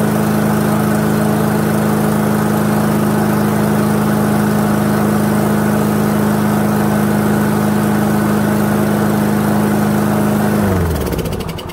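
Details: Toro lawnmower with a 159cc Loncin TXP engine (Honda GCV clone), after the fix to the carburettor's small plastic jet that caused surging: a steady, even drone at constant pitch with no hunting, then winding down at shutoff. Healthy running.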